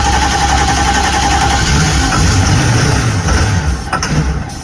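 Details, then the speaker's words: 1973 Holiday Mansion houseboat engine runs low and lumpy, sagging and faltering, only while fed starting spray; not getting fuel, no fuel supply. "See, you're acting as my fuel. Yeah, so we're not getting fuel."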